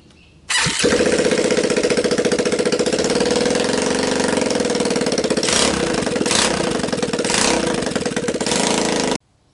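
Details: Linhai Talon 300 4x4 ATV engine (auction buy, had appeared seized), bench-tested on first start with a PZ27 carb on the intake and a 12 VDC CDI: catches within a second, steady, even single-cylinder run with no knocks, misses or smoke; normal running.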